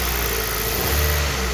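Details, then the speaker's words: Hyundai i20 mk1 petrol engine revving smoothly and evenly with good power after misfire fix, no stumble or miss; normal smooth engine rev. "See, now the car is running nicely, right? The car is having nice power, right?"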